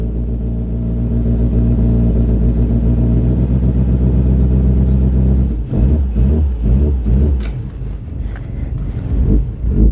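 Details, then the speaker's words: 1983 Ford Escort Mk3 parked since 1993, first start, no fluids in it, smoking: deep idle falters into uneven surges and stumbles, running on about three cylinders with the choke on; rough running. "nó bắt đầu bằng một cái nút, nó chạy quanh ba xi-lanh bị nghẹt"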